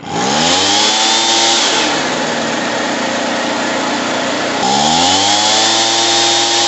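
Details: Echo PB-2100 power blower after carburetor and fuel line replacement, primed, fresh mixed fuel: engine revs up smoothly, drops to a steady high drone, revs cleanly again with no sputter; running properly.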